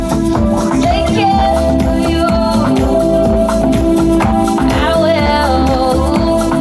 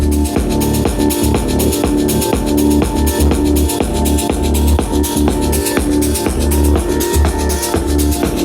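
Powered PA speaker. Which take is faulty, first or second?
second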